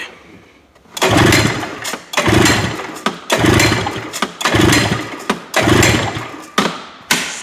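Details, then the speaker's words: Two-stroke snowmobile, compression test by pull-starting: quick soft spins with little resistance about once a second; one cylinder reads over 120, the other about 60, so it needs a top end (piston and rings). "60 well maybe we just get the scoo running in this one because apparently this needs a top end"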